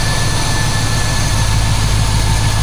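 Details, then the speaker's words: Chevrolet C10 truck with a 350 small-block V8 idling in a garage: deep, steady low rumble with an even beat and no knocks or ticks; runs and sounds good. "I'm sticking with my 350 right now. Yeah, she runs. She sounds good."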